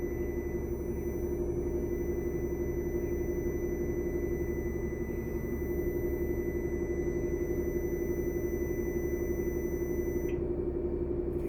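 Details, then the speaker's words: Bus diesel during brake tests (service brake, interlock, air pressure at 85 PSI needing 100 within 45 seconds): steady high warning beep over low diesel rumble; warning buzzer, watch the air pressure needle. "that beeping go off so if you're giving those three tests and you hear that go off you might want to keep your eye on the needle"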